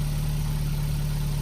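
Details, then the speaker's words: Car after removing two-week-old iridium plugs (gapped 0.07, filthy and oily, made car run funny) and refitting original plugs: short steady low humming idle, even beat, no skips; running right again. "so the car's running right all right now um i can't hear it doing what it was doing"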